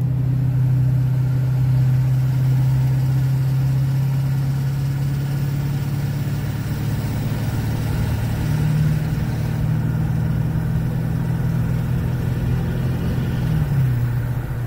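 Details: 2009 Chevrolet Duramax LMM dually with Allison transmission and new Suncoast 1800 RPM torque converter, idling on the brake, heard echoing off a wall: low steady drone with a faint regular knock about four times a second; injector knock or cracked flexplate suspected, cause unknown.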